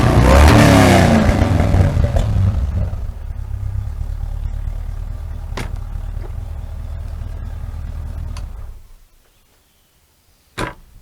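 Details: Land Rover Series III with 350 small-block Chevy V8 swap, dual exhaust with two Flowmaster 40 mufflers: fires with a hard rev, settles into even burbly idle, shuts off cleanly; normal start and rev.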